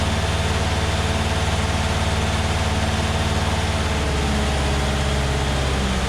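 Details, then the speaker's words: Massey Ferguson 35 Deluxe tractor after carburetor cleaning and adjustment, no load, held at about 2200 rpm (max recommended), then dropping to a very slow idle; strong, even drone with no misfire or knock. "like 2200 or so which is is about as high as you're supposed to go on these"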